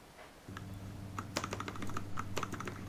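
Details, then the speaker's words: Keyboard spacebar stabiliser, previously slightly sticky, lubricated with motorcycle chain lube (tape mod fitted); crisp, even key clacks with no rattle or scratchy drag; normal spacebar stabiliser sound. "and here's the sound sounds good enough it doesn't get sticky"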